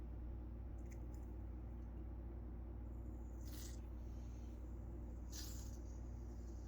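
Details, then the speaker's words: MSR Whisperlite International fuel bottle with an all-metal pump being depressurized by slowly opening it, away from flames: two short sharp hisses a couple of seconds apart as the pressure bleeds off, normal venting. "You can leave it pressurized while you're at camp, but to get the pressure out of it, you just slowly open. You hear it."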